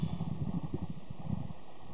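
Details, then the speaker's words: Water-damaged corroded laptop hard drive with many relocated sectors, during SMART short test: quick uneven soft clicks and thumps, no steady spin tone; test ended with read error, drive failing. "let's do the short test see what it does that's flicking horribly"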